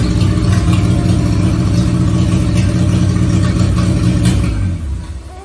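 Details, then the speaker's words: Renault 4L (4L Trophy car) restarted after work including a fuel filter change: engine runs steady and even ("tourne vraiment rond") with a rough puffing over it, then dies away; a large leak heard, finding exhaust or air leak noise. "alors elle tombe elle tourne vraiment rond le seul problème enfin le bruit des huit que vous avez entendu 6 et 8 il ya une énorme fuite"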